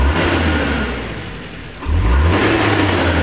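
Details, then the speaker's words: Suzuki Carry Futura pickup, previously idling roughly with misfire, hesitation on throttle and no power; after repair the engine picks up instantly and cleanly on throttle with no stumble or hesitation, normal throttle response. "kita gas sudah langsung dapat ya teman-teman kita gas spontan juga sudah normal tidak seperti tadi"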